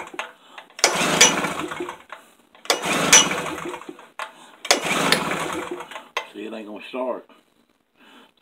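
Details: Tailgator engine that ran a couple of times when first acquired, then sat about three weeks: three pull-start attempts, each a short rough cranking burst that dies without catching; cranks but won't start, cause unknown.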